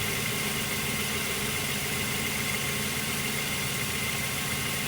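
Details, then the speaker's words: 2008 Mazda 3 near 200,000 km, idling after belt noise with AC off: steady, even idle hum with no chirp or squeal, only the motor heard, not the belt; normal idle. "and i can actually speak now without that noise and you can just hear the motor not the belt"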